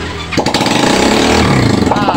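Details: Yamaha Xeon scooter just after its engine block was reinstalled: catches and settles at once into a quick, busy idle with no knocks or rattles; oil circulating properly, running well.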